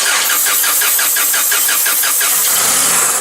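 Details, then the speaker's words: Toyota 7FG U25 forklift with a no-start complaint: even cranking at about three turns a second catches and runs on brake cleaner sprayed into the intake, so the engine is missing fuel. Fuel starvation. "And there you go. So we are missing fuel, we know that, because it started."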